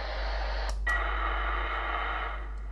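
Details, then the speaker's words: Kenwood TR-751 transceiver, oscillator tested with a temporary 12 MHz resonator soldered in, monitored on a receiver set to 12 MHz: hiss joined by steady clean tone; oscillator works, fault was a broken resonator. "So, it seems we found the problem. It was the broken resonator."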